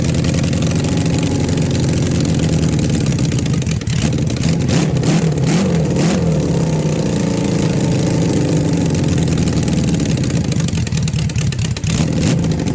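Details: Engine started on the key right after the carburetors were refitted and the battery installed: catches and settles into a steady, even, smooth low idle, no misses or knocks; normal idle.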